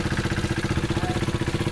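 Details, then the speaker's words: 2016 KTM Duke 390 BS3 (373cc), 27,837 km, parked a year with engine issues, first start: fast idle pulses with a clattery rattle over the firing beat, plus blue smoke. Cause unknown. "This is the first start of the bike. The bike starts, but it's got a awkward weird noise from the engine,"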